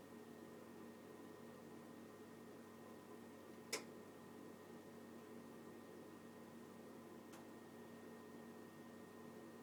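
Quiet boiler hum with one sharp loud click, then a softer click about four seconds later; clicking fault, cause unknown.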